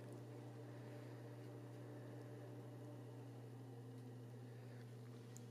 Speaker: so you can probably hear that this is the 80 millimeter fan now it's the minimum and now it's the maximum